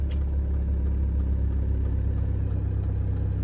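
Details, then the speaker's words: Ford Transit campervan diesel starts after the Webasto preheater brings coolant to 51°C and the starter battery is charged: steady, even idle clatter with no knock, left idling for the oil to warm. "Right, leave it for a while for the oil to warm up a bit."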